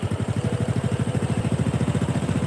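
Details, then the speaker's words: Supra 125 motorcycle idle being set with the carburettor idle screw: quick, even exhaust pulses of a fast, steady idle set too high. The recommended target is 1,300–1,600 rpm, since too low an idle wears the crankshaft bearings. "nah makin besar dia makin besar Nah cari yang paling pas jangan kegedeen jangan kekecilan ini ngatur langsam"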